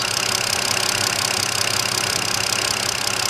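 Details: 2009 BMW 5-series, after a misfire traced to a bad ignition coil, checked with an ignition analyzer showing all six cylinders steady. Even idle with a smooth quick pulse and no stumble. Normal running.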